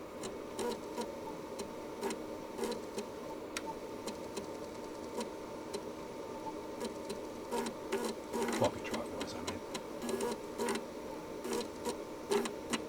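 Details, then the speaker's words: Amiga 2000 booting Workbench 3.1 from internal floppy, DF0 and DF1 detected: soft irregular head-step ticks and short seek chatter over quiet drive hum; normal floppy boot, though owner notes it sometimes fails to boot and suspects a faulty cable. "workbench 3.1 is in the drive here and it's happily booting there right it's detecting uh df0 this is df1"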